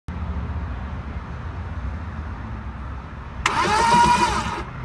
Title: Car won't start